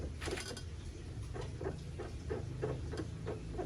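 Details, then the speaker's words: Pacific Magenta electric bicycle: short squeaks about three a second as the rear suspension works, coming from the rear shock after the swingarm squeak was already fixed; an overtightened lower shock bolt binding the mount. "Nah ini ini suara ini berasal dari bagian shock belakang."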